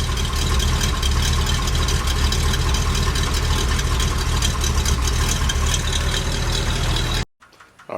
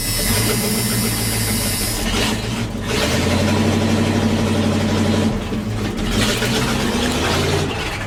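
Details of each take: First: K30 fire truck after new tires, new mufflers and coil fixed again, warming up at idle: a steady, even low rumble with no knocks, misses or exhaust rasp. Normal idle. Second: K30 fire truck, hot engine, start with no mufflers fitted, before mufflers installed: loud raw rasping open exhaust barking harder on each rev, rough idle; new tires, coil recently fixed.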